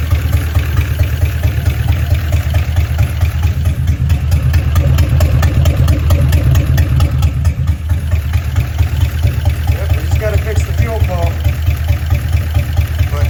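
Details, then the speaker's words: 1956 DeSoto Firedome V8, first start after sitting about 24 years in a barn, gravity-fed fuel, no coolant or water pump yet, before oil change and plugs: deep, steady idle with a light, quick ticking on top; lifter tick. "She's [Music] got some lifter text going on, but she's that's great."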